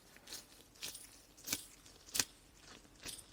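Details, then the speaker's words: Old clutch throwout (release) bearing from a Jaguar XJC manual, removed and spun by hand: gritty uneven crunching, noisy and also audible in the car; replaced with new bearing during clutch replacement. "can you hear that it's pretty noisy you can hear that in the car as well"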